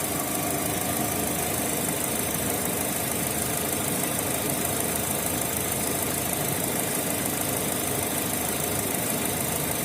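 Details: Opel Z18XE engine at idle with a Siemens Simtec 71.6 ECU. The beat is uneven and stumbling under a dense hiss; the misfire is caused by a faulty engine computer.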